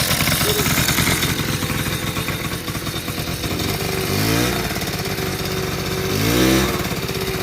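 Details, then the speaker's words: 1980 Honda Express II two-stroke scooter, after cleaning a clogged carburetor with no fuel filter: buzzes fast and won't settle to idle, swelling higher twice; runaway idle, air leak suspected, idle circuit rechecked. "we've got kind of a runaway idle situation i don't know if there's an air leak or something but i'm digging into that now"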